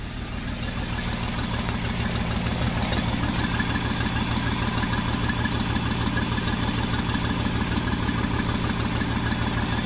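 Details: 2009 Jeep Wrangler 3.8L V6 6-speed manual idling with a heavy uneven low thump and shaking, dead misfire on cylinders 2 and 5; no spark from the 2/5 coil, which shorted and burned out the PCM coil driver.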